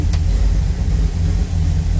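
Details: 1974 Ford Bronco after engine swap, V8 with Holley Sniper 2 fuel injection: steady, even low V8 burble at idle with no knocks or stumbles; normal idle.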